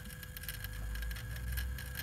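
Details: Toyota Hilux diesel, key on, engine not running, with new air filter: steady mid-pitched electric whir with faint ticking from the turbo actuator cycling; normal.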